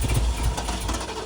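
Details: 1979 Ford Bronco V8 after long sitting, cranked until fuel reached the filter: catches and settles into a deep, steady low idle rumble, no misses or knocks. Normal idle.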